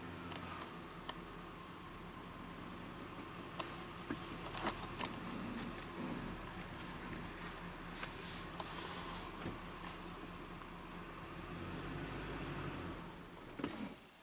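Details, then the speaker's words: 2009 Chevy Silverado 3500HD with 421,000 miles: the engine ticks over quietly at idle, running rich, then sags and dies right after it is put in gear. It had transmission codes earlier; cause not yet found. "Okay, just stalled out right there."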